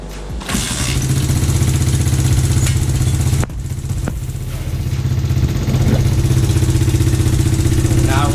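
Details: Red Kat Mammoth 90cc pit bike after a full rebuild: small single revs up, then settles into a steady, even buzzing run with no knocks or misses. Normal running.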